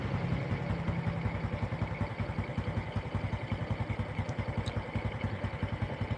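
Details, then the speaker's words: Honda Karisma motorcycle after engine rebuild with new parts, freshly assembled: even steady single-cylinder idle with stable exhaust, no misses or knocks; cam chain and valve noise normal, very smooth. "oke ini suaranya teman-teman suara knalpot langsam stabil ya sudah sangat halus untuk sekelas Karisma"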